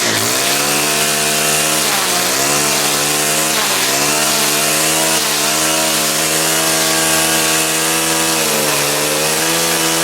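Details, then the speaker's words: Stihl trimmer engine: starts easily, clean steady note rising and dipping smoothly with throttle, no misses or rattles, running healthy. "Those things always start nice like that."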